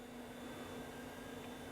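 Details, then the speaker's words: Donated early-2000s Socket A AMD PC (PC Chips motherboard, flat CMOS battery) at power-on: hard drives and CPU fan spin up with a steady soft whoosh, faint constant hum and high tone; fan comes up to speed normally. "So I can hear hard drives spinning up. I can hear CPU fan spinning up."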